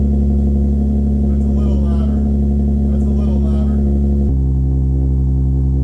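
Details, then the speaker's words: Infiniti G35 coupe, 6-speed, original VQ35DE V6, running after sitting a long time: deep, even, bassy drone with a steady low rumble and no knocks or misses through a louder exhaust, deep enough to vibrate your chest; healthy. "That is so deep. Do you guys have any bass on your headphones? This thing is super deep. It like vibrates your chest."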